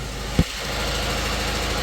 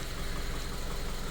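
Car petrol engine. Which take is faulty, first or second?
first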